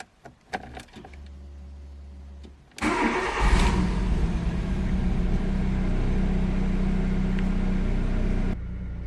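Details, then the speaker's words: VW Lupo with a failing borrowed fuel pump, the original pump having already died, check engine light on. A short crank, then it catches and idles with a slightly lumpy, uneven beat. Rough running, likely from low fuel pressure; a low-fuel warning also shows despite a full tank. "so now there is a check engine light and the car is running quite rough"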